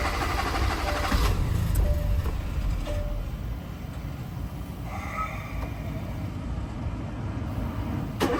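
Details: 2017 Hyundai Tucson 1.6L turbo first start after replacing the cracked, leaking fuel sending unit: engine catches but runs rough and uneven with an irregular beat about 3.5 per second, struggling rather than settling.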